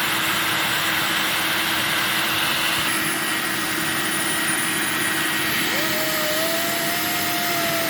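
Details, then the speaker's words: Refurbished Electrolux 1505 Silverado canister vacuum during an airflow test at the hose inlet. Thin, constant high whistles sit over the steady motor rush, and one tone slides up midway; the owner suspects a small hole meant for the automatic control valve, or the inlet's shape. "oh and you'll hear a little bit of a whistling noise i think it's from the little hole inside here that would usually lead into the uh the automatic control valve or maybe it's just from the shape of the inlet i don't know"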